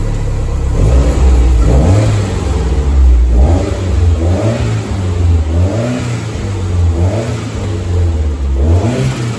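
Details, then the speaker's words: Toyota MR2 with 3S-GTE Gen 4 engine, first start after fluids filled and coolant bled: repeated clean rev blips rising and falling smoothly over a steady idle, no knocks, misses or rattles; fires on first try and runs very smooth. "Alright, so Mr. Hart, pass the test? Yes, sir. Alright guys, so it's very, very smooth."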